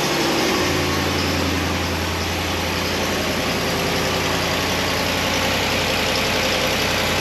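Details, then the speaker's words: 2017 Ram 1500 5.7 Hemi, 120,000 miles, cold start after fixing broken exhaust manifold bolt and replacing gasket: steady V8 idle with only the light normal valvetrain tick, loud exhaust-leak click gone. "Sounds like just the regular old Hemi tick now. Remember hearing that loud click? Not hearing it now."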